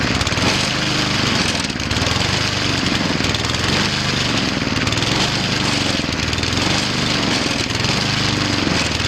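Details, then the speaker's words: Cub Cadet ST 100 field trimmer mower after installing a fuel shut-off valve, started with an empty carburetor bowl: small engine runs loud and a bit uneven, the beat surging and wavering just after start-up as the bowl fills. "I'm gonna turn the fuel flow on now it's gonna run a little shaky when I first started up because it's got to get all that fuel then to the bowl there's nothing in there"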